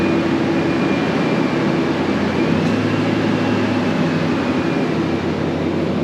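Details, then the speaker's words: 2000 Ford F150 after fuel tank and strap replacement, pump primed and 5 gallons in the tank: an even, steady idle rumble with a faint hum and no knocks, misses or surging; it works like a charm. "all right works like a charm"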